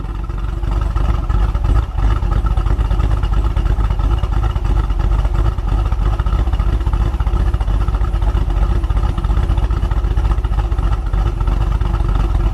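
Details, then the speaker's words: 2017 Chevy SS with about 7,000 miles, first start after a cam install: deep even V8 idle with a lopey pulse about three per second and no knocks or ticks, slight belt squeak; normal idle. "there we go [Music] Gina Courtney girls like a little bit of water on the belts that squeak would go away there ever sounds good"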